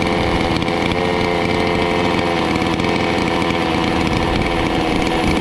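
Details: Stihl 046 chainsaw after port work and rebuild, first run after priming, cold before heat cycles; loud, steady two-stroke buzz holding even speed without stumbling or misfires. Runs strong and clean, normal running.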